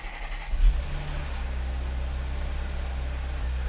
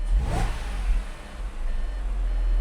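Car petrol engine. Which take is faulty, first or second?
first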